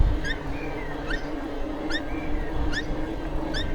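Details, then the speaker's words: Cube Stereo One77 e-bike near end of a 35-mile ride: sharp high chirp about every 0.8 s in time with pedal strokes over trail noise, also with motor off; drivetrain squeak, cause unknown (owner wonders about dry bearings). "What is that noise? It's a right squeak."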